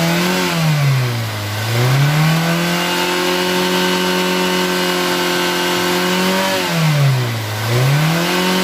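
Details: 2012 Toyota Avanza Veloz after repairing a rough-sounding engine (damaged connecting rod bearings blamed on poor oil), oil changed: smooth, even idle with two clean throttle blips, pitch rising and falling evenly, no knock; engine back to normal without full overhaul.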